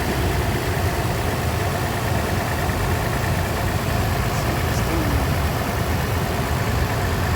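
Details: Toyota 4Runner 1GR V6, after spark plug and coil replacement and straightening a bent pipe, with no misfire or blinking check engine light: a steady, even idle with a smooth low hum and no stumbles or skips.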